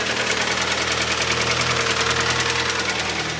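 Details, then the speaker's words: 2011 Hyundai ix35, G4KD petrol engine, FWD automatic, 157,000 km, running on LPG: idling with a loud, fast, regular knock about three times a second; scored cylinder walls, likely needing boring or sleeving. "Ох как хорошо брякает прям замечательно стучит"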